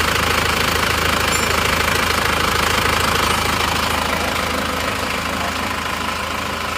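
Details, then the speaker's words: Isuzu Panther diesel idling steadily and healthily with an even, quick clatter, no stray knocks, first start after repair of a crankshaft that broke one month and 200 km after an engine overhaul; worn parts replaced with used ones. "nah ini sudah hidup teman-teman hidupnya seperti ini suaranya seperti ini ganti bekas semua"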